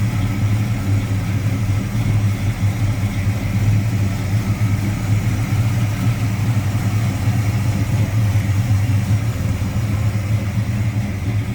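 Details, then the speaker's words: 1973 Plymouth Duster 340 V8, dual exhaust with Flowmaster mufflers, hood open: deep even idle with steady low rumble and a slight rhythmic lope from a mild cam; smooth running, sounds good. "Smooth running 340. Sounds good. Like I said, Kelly got a little pan to it."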